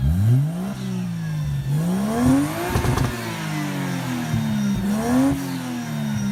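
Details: 1JZ-swapped Mazda FC RX-7 drift car, fully warm, on its newly fabricated, home-welded full exhaust; clean crisp revs rise and fall smoothly through a deep, even exhaust note with no misses or rattles, healthy engine and exhaust.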